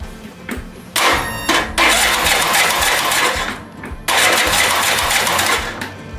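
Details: Cub Cadet RZT S 42-inch zero-turn with a replaced solenoid and battery, engine hard to turn over (too much compression suspected), after a spark plug swap: two cranking bursts that never catch; cranks but no start, valves to be adjusted next.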